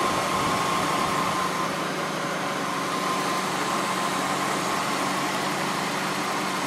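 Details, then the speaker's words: 2000 Honda Accord 3.0 VTEC V6 started after alternator replacement: steady, even idle hum with a faint high whine and no knocks or misses; engine sounds healthy. "Hook our battery up, start the car. Cross our fingers and hope it starts. Success!"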